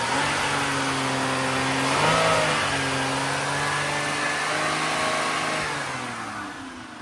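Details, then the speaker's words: GM 3800 engine, warm: engine revs up cleanly and settles evenly with no stutter or misfire; tailpipe sounds good, head gasket judged not needed. "I think she's good. Tailpipe sounds good. It's got no misfire."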